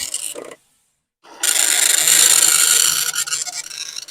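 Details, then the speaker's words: Commodore 1525 dot matrix printer for Vic-20/C64, never tested before, tractor-feed paper, running self-test mode with noise cover on: loud raspy buzz as the head sweeps lines, about four passes a second, steady and even; normal printing. "and in fact here [Music] these things are loud this was the thing that was supposed to protect us from the noise and indeed it does do a little bit"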